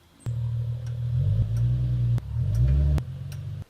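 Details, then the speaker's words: Nissan 370Z driving: sharp, irregular rear axle clicks over a low rumble, a known problem after hard starts and drifting, fixed with a new castle nut, split pins and axle washers. "today we're going to be fixing the rear axle click problem on the nissan 370z you'll hear it in this clip here"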